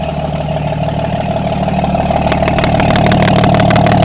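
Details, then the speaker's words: Diesel truck with failed turbo (replaced 12,000 miles ago), run with manifold off: steady even idle about three beats a second firming slightly, no misses or knocks; all cylinders firing, normal idle. "Sounds good to me. Yeah, all the cylinders are hidden."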